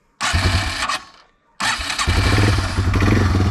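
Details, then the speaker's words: Yamaha TW200 cold start in neutral with choke and a little throttle: it catches at once, stumbles, refires and settles into a steady single-cylinder thump, a normal easy cold start. "So I give mine just a little bit of gas. Right there. And that is literally how easy it is to start this in the cold."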